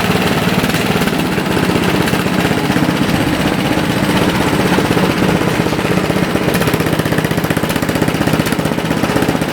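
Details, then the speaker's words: Toro four-stroke snowblower, after a lean carburetor fix (idle mixture screw adjusted), starts with a fast, even single-cylinder chuffing and no rise and fall; the surging is gone and the idle is steady. "So, I'll start up the machine here, and the surging should be gone."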